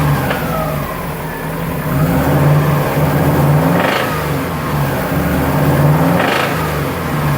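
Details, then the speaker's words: Subaru engine revving up and down with a deep uneven knock that persists across revs; oil change later showed many metal particles, owner sure it is a bearing (rod knock), engine to be opened. "Tengo un ruido bien feo como por el cigüeñal y esas partes así. No estoy muy seguro si es eso."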